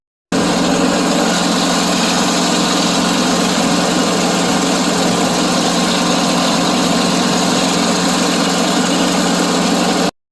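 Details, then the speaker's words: John Deere 652R mower, blades disengaged: steady engine idle with distant low rough growl, no knocking; PTO clutch bearing overheated and stretched drive belt let tensioner pulley rub the hydro pulley. "Kind of just sounds like a distant kind of growling noise. The blades weren't engaged, so I know it's either the clutch or the drive belt or traction belt."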